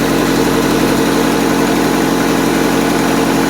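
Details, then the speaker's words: Honda Civic bought three days ago with issues, partly disassembled (a solenoid disconnected), fans on: steady, even idle at constant pitch, no knocks or misses; it runs smooth after a brief start-up click-clack. "like said it runs smooth"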